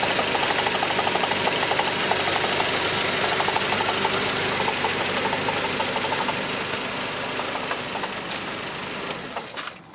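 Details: Mercedes C124 230CE, 2.3 M102 petrol engine: fairly even tapping about three a second over idle, fading at shutoff; low-rev rattle, exhaust, heatshields and flex plate ruled out, cause unknown.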